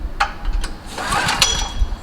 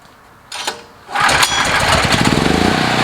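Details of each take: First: Generac GP5500 portable generator, several years old, sat for months; runs on fresh 89-octane fuel with Stabil 360 and has a new spark plug. Repeated recoil pulls give short rattling spins, but it never fires: hard cold start. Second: Several-years-old Generac recoil-start portable generator, hot, restarted with choke in: fires on the first pull and runs evenly at a steady rate; easy, healthy hot start, voltage steady.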